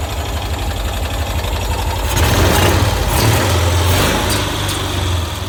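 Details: 1990s Cushman Truckster pulled from a field, not run in years, just revived: low steady engine drone that swells briefly when revved then settles back; running evenly with no knocks.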